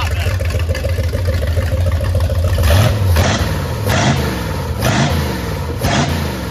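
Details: MerCruiser 7.4 marine V8, starboard side, after removing the number one piston and freeing its rings, with Marvel Mystery oil burning off: it idles steadily, then picks up cleanly through quick revs with no stumble. Timing was suspected a little far back and something was found loose; now running properly.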